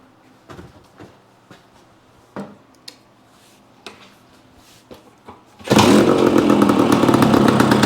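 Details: Yamaha AT-1 to CT-1 conversion two-stroke at first startup after wiring, oil pump priming and carburetor fix, choke on, premix plus oil pump: a few clicks, then catches and settles into a crisp, rapid, even idle; normal idle.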